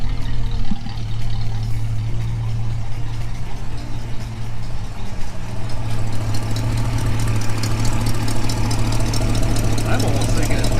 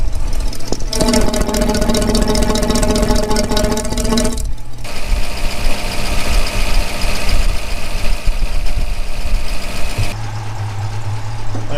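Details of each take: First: 1965 Mustang convertible, refreshed 289 V8 with AOD conversion, idling with deep lumpy rumble and faint fast puffing tick; exhaust leak at the exhaust manifold, suspected donut gasket, appeared after Hurst crossmember installation. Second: 1965 Mustang convertible, refreshed 289 V8 with AOD conversion, after tightening exhaust leaks found following Hurst crossmember install: deep even idle burble, no ticking or puffing, much quieter. Normal idle after repair.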